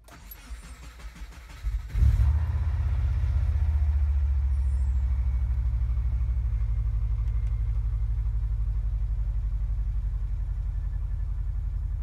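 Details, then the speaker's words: 2001 Subaru Forester after fuel pump replacement: brief cranking, then a steady, even low idle with no whine or stumble; new pump much quieter than the old one, which whined loudly and caused bad sputtering. "working, and it's a lot quieter than the old one."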